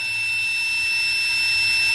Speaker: that's gonna be hooked to the multimeter with the continuity buzzer on you here when I turn this on it buzzes